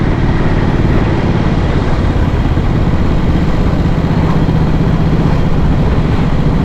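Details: 1937-frame, 1940-engine Matchless Model X 990cc side-valve V-twin, long plagued by poor starting. A breaking-up tank liner earlier blocked fuel, and plug spark is weak. Lumpy, uneven low beat once running after much effort: hard starting, cause unconfirmed.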